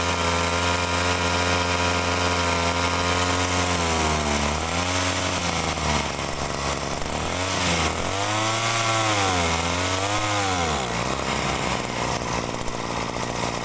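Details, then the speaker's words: Agricultural sprayer two-stroke, original carburetor: pitch sags and wallows ("ngok") each rev instead of climbing; mechanic suspects lean mixture, adjusts screw counterclockwise, fault persists, pump problem suspected, unconfirmed. "Nah jadi teman-teman di situ masih timbul ngok ya nah ini kalau timbul ngok kalau saya dengarkan ini sepertinya kurang boros ya"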